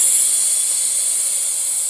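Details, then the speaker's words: Steady high hiss of air rushing from a big puncture as the inflated inner tube deflates, before an old-style Crazy Glue repair. "can hear it it's big hole the Air's coming out pretty quick right there"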